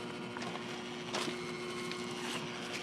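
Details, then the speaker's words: Trane 7.5-ton rooftop unit, rollout switch found tripped; with 238 volts applied the new inducer motor is seized, a faint steady hum with no fan spin-up among handling clicks; inducer assembly later replaced. "I don't know if you guys can hear it but that new motor is locked up locked up pretty bad so I'm gonna check real quick"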